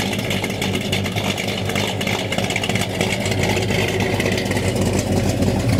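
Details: 1969 Dodge Dart with newly installed 440 V8, 4-speed, TTI headers, electric cutouts closed: deep loping idle burble, even lumpy big-cam rhythm, no knocks or rattles; runs healthy.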